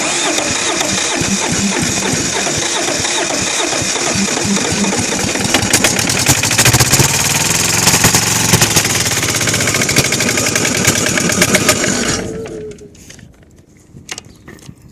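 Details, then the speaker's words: Kohler KD425-2 diesel, cold start: rough, uneven cranking and stumbling firing for about twelve seconds, never catching cleanly, then dying. Hard starting from lost fuel prime, with an air leak suspected and fuel running back. "Yeah. Yeah, see, it's losing fuel. Yeah. Oh, come on, pick up fuel."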